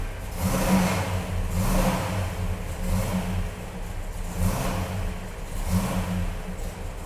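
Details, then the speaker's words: Hemi-powered wrecked race-car Plymouth Superbird, idling under the hood: over the V8 rumble a rough pulsing racket swells about once a second, from the big vacuum pump that runs the headlights and possibly other vacuum-controlled parts. "under the hood you hear that punk noise that is this big vacuum pump right here which is going to run the headlights I imagine other things that are vacuum controlled but it makes a terrible terrible racket"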